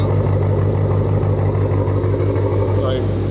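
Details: Car at idle before shop visit: steady idle with a rough, puffing rasp over the low engine drone, worse when revved; owner's exhaust sounds like a leak.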